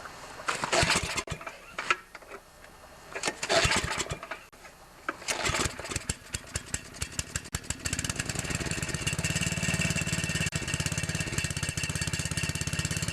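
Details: 9HP Tecumseh Snow King engine, first cold-start test run after connecting-rod replacement with a new Champion RJ19LM plug gapped at .030: a few sputtering pulls and false starts, then it catches and settles into a steady, even beat.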